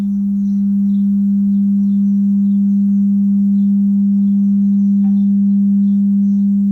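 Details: A. O. Smith water heater, made 2015: steady loud low hum with vibration at one pitch, no knocks or clicks, starting shortly after the burner lights and fading after about 13 seconds; cause unclear.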